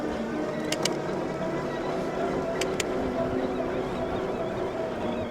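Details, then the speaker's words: Weird little whine on a Hovsco HovGTRS 750W 48V fat-tire eBike, most prevalent at lower speeds in pedal assist 1–4; thin steady whine over rolling noise, not from a front motor (none fitted), rider earlier suspected the brake. "So, the noise seems very prevalent in lower speeds, but it's not the there's no front motor, so it's just making a weird little wine."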